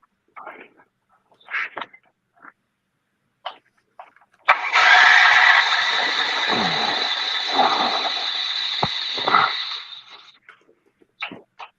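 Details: Two-stroke generator sprayed with Seafoam: catches with a rough, raspy roar for about five seconds, then fades out and dies; starts and stalls, likely a fuel or carburetor problem.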